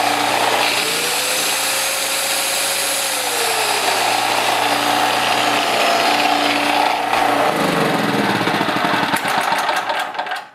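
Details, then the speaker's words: Champion 196cc 3500 W peak generator just fitted with a new carburetor, started on choke with fuel valve open: steady, even drone holding speed without surging, winding down at end; normal test run. "So I'm really happy with that. Even though you're putting in a new carburetor, always test it if you're fixing stuff for customers, because you never know, you can get a bad carburetor that is brand new."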